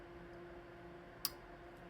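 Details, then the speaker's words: Stiebel Eltron 2.5-gallon electric water heater, thermostat opened and its loosened contactor tightened: one crisp click over a quiet hum as the dial turns; the contactor that switches the heater on is closing cleanly. "you heard that? That's the contactor that turns the water heater on."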